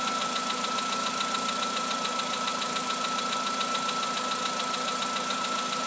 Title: Работа двигателя Polo Sedan. Стук поршней.